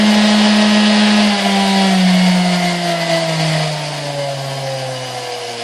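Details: 1960s Hamilton Beach Model K stand mixer after maintenance and service, heavy grime scraped off, turntable still missing: smooth, steady motor hum easing slightly lower in pitch, no knocking, rattling or grinding; healthy motor.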